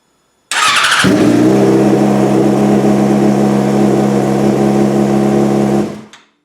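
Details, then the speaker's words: 2003 Yamaha R6 sportbike after fitting a new battery charged to 100% on a trickle charger: starter spins briskly, noticeably smoother and faster than with the old battery, engine fires at once and holds a smooth steady idle; normal cranking and start. "Alright, I don't know if you guys can tell, but the starter is so much smoother, faster, aggressive almost is the way I would describe the starter now."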